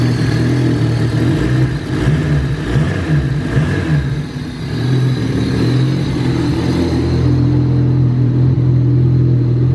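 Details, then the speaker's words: Honda Del Sol with stock D16Z6 single-cam and an eBay turbo kit, first run before dyno tuning: low, uneven, lumpy idle that never settles, engine visibly shaky; cheap wideband shows only lines, so unclear whether lean or rich. "so it runs it's a little stumbly and the wide band's just showing lines so I don't know if it's too lean or too rich"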